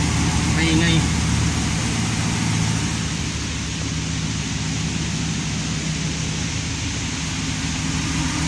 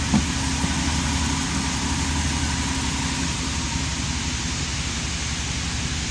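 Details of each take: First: Ticking/clicking noise on cold start of a 5.7-liter engine, a fast light tick roughly four per second over the cold idle; source of the clicking unclear; reported successfully repaired. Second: Low, steady idle of a 5.7-liter engine after successful repair of a cold-start clicking noise; even beat with no clicking or tapping, engine sounds healthy.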